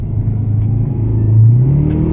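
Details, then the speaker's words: Subaru Legacy GT under hard acceleration: engine note climbs quickly while road speed lags, so revs flare ahead of speed; clutch is slipping badly and burned. "see how it stayed at like five grand but it was like the speed was climbing means the clutch was slipping pretty bad"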